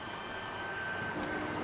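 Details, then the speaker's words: Electric Iveco Daily van on test drive at about 40 km/h: thin steady high squealing whine from the electric drive over road rumble, still present though reduced with the artificial noise turned off; driver questions whether it's normal. "It sounds a bit wrong to me. Should it be squealing like this? This is the question."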